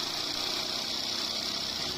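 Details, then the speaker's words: Honda Dream Yuga motorcycle running after gearbox repair: steady, even hiss with no gear whine, clicks or grinding; gearbox now normal, unlike the noise before repair. "Gear में कोई भी आवाज नहीं है gear का सारा चीज up to date है फर्स्ट क्लास है"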